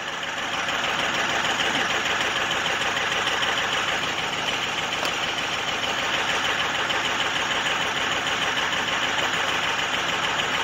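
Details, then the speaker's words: 2005 Ford F250 6.0 Powerstroke diesel cold start at 39°F, check engine light on: choppy, uneven knock-like idle around three beats per second; runs rough, cause not yet known. "Oh yeah, it's running rough. Fired right up though."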